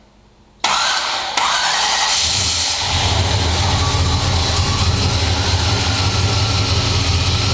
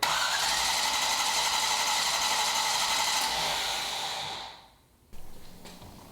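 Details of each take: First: Rebuilt 1973 International Scout II, fuel-injected, first fire after rebuild: starter cranks briefly, engine catches and settles into steady even idle with no knocks; sounds healthy, finally running. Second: Rebuilt 1973 International Scout II, fuel-injected, first-fire attempt: cranks steadily about four beats a second without catching; spark confirmed but no fuel reaching engine. Owner suspects under a gallon in tank leaves fuel pump pickup uncovered.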